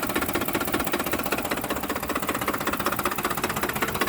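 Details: 2007 Ford F-150 5.4L 4x2 automatic, 119k miles, rough idle after deceleration: a steady rapid knocking through an uneven idle, low in the engine, seeming loudest near the fan; cause unknown.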